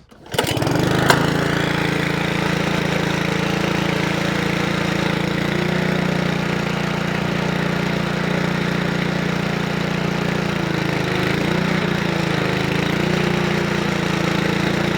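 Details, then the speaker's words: Honda Lawnflight 553 HRS Pro mower, Honda GCV160 engine, unrun for about 1.5 years, restarted on choke after gearbox rebuild: catches quickly and settles into a smooth, even idle; sounds nice. "That's about idling. Nice."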